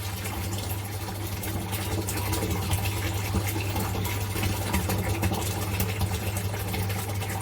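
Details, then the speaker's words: Modified Eheim Quick Vac Pro automatic gravel cleaner, run from a 12 V 45-amp battery for more suction in a 600 L tank without gravel. Steady low motor hum with water swishing, even speed without labouring; pump running strongly and normally. "it's powerful people this is like I think you can hear it"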